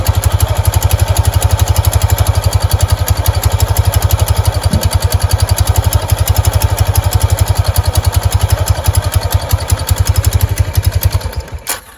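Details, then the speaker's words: Kawasaki Prairie 300 automatic ATV with the belt guard off (a snake was found inside): steady, low thumping at about four beats a second with no rubbing, then shutdown. The belt-guard noise disappeared once the cover came off; only a tiny rub mark. Normal CVT operation. "Counterweights in here. Everything seems to be moving. When I was revving on it, this slid in and come back out."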